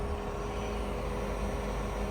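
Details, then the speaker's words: 2013 Ford C-Max hybrid with 125,000 miles just started after HF35 transmission replacement for bearing whine: steady even low hum, no drivetrain whine, no warning lights. "You can't even hear it. Remember how bad that was? Now, sometimes these are noisier than other ones, but sounds great right now."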